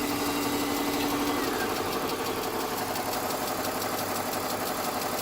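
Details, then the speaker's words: German car bought non-running from salvage, 152,000 miles, now running after a battery fix: light, steady ticking about three times a second over a smooth idle, seemingly from the back of the bay; owner suspects an exhaust leak. "still got the tick. Sounds like it's back there. I don't know."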